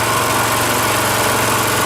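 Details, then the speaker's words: Rototiller single-cylinder engine after carburetor cleaning, warm after about 20 minutes running, fuel shut off to run dry: quick regular putter holding even beat at low idle; idles right down, healthy. "Now I'll wait and tell you about the exhaust here after. Idles right down too, eh?"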